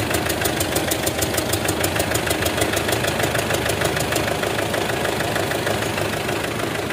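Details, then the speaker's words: 2008 Mitsubishi Strada Triton common-rail diesel with hard, long cranking and heavy white smoke: sharp tak-tak ticking about three a second over a rough idle, with heavy blow-by pushing out at the oil cap. A leaking injector is suspected, letting oil into the combustion chamber. "Ini kemungkinan terbesar Papi tebak di bagian injektor itu ada yang bocor jalur ya nah jadi olinya itu masuk ke ruang bakar dan saat dihidupkan bercampur dengan starter panjang itu menyebabkan asap putih banyak Lur"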